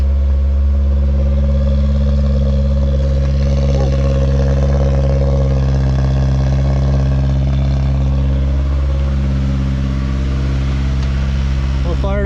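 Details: 1985 Toyota Corolla GT-S AE86 with a Honda S2000 F20C swap being prepared for California smog, in neutral after fuel leaks were fixed: deep, steady idle with an even low rumble and no misses or knocks; check engine light on.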